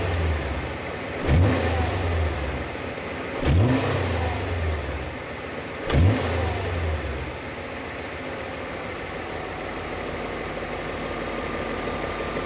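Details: BMW E39 M5 engine: three sharp revs, each with a hard knocking edge as it picks up, then rough idle; sharp knocking when accelerating and around 1500 rpm, owner suspects rod bearings, cause unconfirmed.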